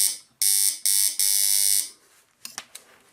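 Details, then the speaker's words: Doorbell-type buzzer on 220–230 V AC mains: harsh, steady buzz in three short presses, reed chattering back and forth at mains rate while the button is held, because of the alternating current; buzzer working normally. "cuando mantengo conectado conectada la fase el sonido se produce ininterrumpidamente y eso aquí si funcionará igual que el tiempo musical se debería de quedar la lámina pegada pero no la lámina mantiene un movimiento de vaivén y eso es debido a que lo estamos alimentando con corriente alterna"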